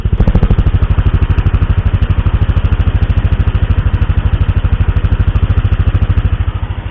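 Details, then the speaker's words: 2016 Yamaha NMAX, about 74,000 km over 3.5 years, idling with BRT SS2 racing camshaft: loud, steady, choppy lopey idle with heavy even pulses and slight clatter from the cam. "Hai nah ini karakter suara Idol dari SS2"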